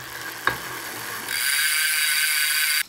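Fast, even ticking from the spinning rear hub with a bright metallic ring; normal pawl clicking while coasting.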